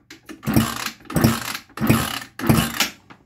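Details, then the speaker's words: Scooter after a piston seizure, fitted with a cheap replacement cylinder and piston; four slow kick-start strokes, about one every 0.7 s, no firing. Compression only slightly improved, owner suspects the cheap cylinder; cranking, no start. "wir haben ein klein wenig mehr also von der kompression hat fast nichts gebracht schade"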